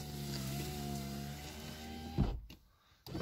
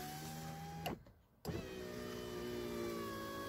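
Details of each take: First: VAZ 2115 power window before cleaning, car freshly washed: steady motor hum as the glass travels with a faint rubbing drag, then a thump at the stop; scraping noise when raising or lowering, dirty glass channel. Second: VAZ 2115 power window after silicone lubricant applied to the glass channel to cure squeaking and tight movement: two smooth, even motor runs with steady hum, no squeak or scraping; window now quiet.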